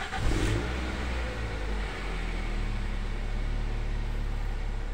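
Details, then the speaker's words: Toyota Altis that needs long cranking to start when cold, restarted after it had died: short crank, then it catches at once and settles into a smooth, steady idle; normal start, fuel system suspected. "ini sudah normal starternya Nah jadi tadi pada saat kita starter awal itu seperti itu kondisinya"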